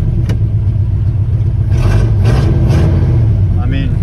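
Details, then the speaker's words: 1979 Ford F-150 Custom tool-body truck, sitting since 1999: engine revs freely in gear with no load coming on, automatic transmission not engaging; owner suspects burned-out transmission, possibly why it was parked. "nothing huh okay very very odd but you know when the transmission's burned out that's how it behaves"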